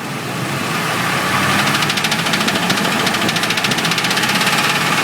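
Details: Ford F150 idling: fast, steady knock about three a second through the upper engine clatter.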